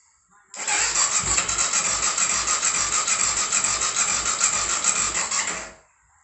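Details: 2004 BMW F650 GS Twin Spark, first start after engine reinstall: starter whirrs with even compression beats about three a second for five seconds but never catches. Crank, no start; owner suspects an oil pressure sensor fault is stopping the spark.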